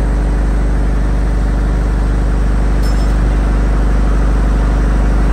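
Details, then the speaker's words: Reconditioned 35 kVA Kirloskar generator, HA494 four-cylinder air-cooled diesel, 45 BHP at 1500 rpm, at about 100% load, mic right beside it: deep steady drone, even firing, no knocks or rattles, no smoke; healthy. "फालतू नॉज नहीं मिलेगा आपको दोस्तों मैं बिल्कुल सट के खड़ा हूं जनरेटर के तब यह आवाज आ रही है"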